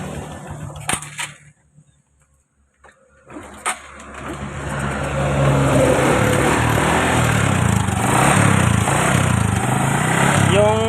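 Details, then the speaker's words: Honda XRM 125 that suddenly wouldn't kick start catches after a few kicks and settles into rough, busy running with a mild knock and very heavy smoke; connecting rod somewhat worn, block, piston and rings definitely damaged. "Pero yung block at piston at yung ring, yan, sureball, may tama yan."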